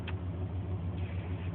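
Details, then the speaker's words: 1994 Chevrolet K1500 5.7 TBI V8, 253k miles (reman long block), after replacing the engine coolant temp sensor that caused hard starts and stalling until warm: steady, even low idle rumble with no misses or surges; normal idle. "I don't know if you can hear the difference but it idles a lot better even before it didn't die it was sputtering a little and right now it's idling nice and smooth like it just before it had any problems"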